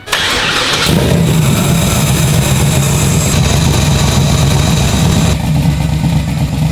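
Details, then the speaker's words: Turbo Chevrolet Nova engine, first start with no tuning, restarted to check heat on the other bank after two cylinders found cold: cranks, catches, loud lumpy idle with uneven low pulsing, spitting a lot of fuel, running rich. "I mean I know it's not running super well uh it's not really going to either because this is no tuning whatsoever but we are obviously spitting a lot of fuel out"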